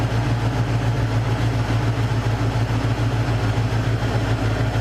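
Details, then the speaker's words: Mercury Cougar after fixing a major misfire; idle drops to a smooth, even low drone with no skipped beats, popping or stumble; misfire gone, normal idle. "Idle goes down. I don't hear any misfires. I don't hear any popping."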